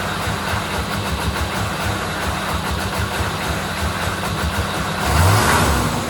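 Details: 1997 K3500 6.5 diesel, second run: uneven idle with a pulsing, stumbling clatter. Fuel pressure is 7 psi with no bubbles, batteries are new, grounds are good, and the fuel solenoid tests good. It idles the same with a genuine Stanadyne 39405 or a substitute.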